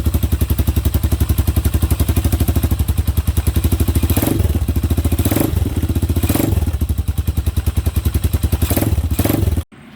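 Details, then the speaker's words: Hawk 250 single after a valve clearance adjustment: even, steady thumping idle with no tapping noise, running cleanly. "Yeah, sounds much better. No tapping noise, nothing."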